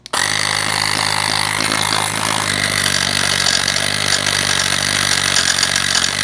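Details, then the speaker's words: Portable tire inflator pump that failed after use: harsh rattling grind under a high buzzing motor, rough and uneven, out-of-balance bearing-type noise with bad smell. "um sorry that was a really bad volume transition but i'm sure that uh you heard that it sounds awful so it doesn't smell very good either"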